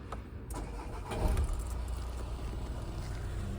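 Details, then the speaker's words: Audi Q3 after repairing a chafed wire to the exhaust pressure control valve (faults P048E, P048B, P048C). Short crank, then a smooth, steady low idle without rattles or misfires; flap actuation test passed, no warning lights, no DTCs. "No warning lights on. No DTCs. We're good to go."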